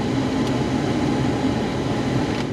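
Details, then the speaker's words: 2003 Mitsubishi Eclipse GTS Spyder, 13k miles, 20 years old: the AC blower gives an even whoosh and low hum with no rattles or squeals, blowing cold air; the AC works normally. "it is the the bit that's coming out is [Music] cold so our AC is working and it worked for me before"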